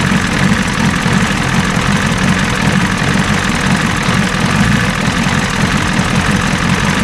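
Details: 1986 Ford F350 diesel running after fuel return rail leak repair, now fed from the tank at low fuel pressure (about 6-7 psi): even, steady diesel clatter at idle with smooth low rumble, no misses or knocks; normal diesel idle.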